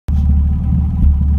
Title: M3 not perfect idle sound